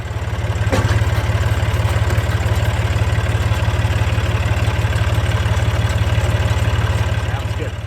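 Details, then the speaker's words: Fairly new hay rake, just washed and greased, driven by tractor PTO to work grease into joints: steady low throb about twice a second, no squeals or clunks; runs normally. "Didn't make any weird noises and no parts fell off it, so, which I would hope not, but shouldn't."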